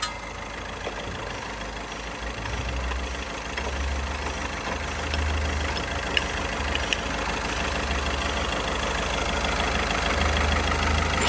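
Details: Car, after fixing rubbing noise caused by a transverse engine mount installed 2 mm off and trimming the contact spot: low, even idle hum with no rubbing or knocking; problem solved.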